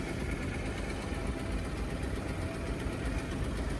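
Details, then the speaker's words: Suzuki Carry dump kei truck, a for-sale vehicle in Japan. It idles low, uneven and lumpy, as if about to die; the owner suspects an exhaust leak or old gas, not confirmed. "Definitely sounds like it's about to [Music] die."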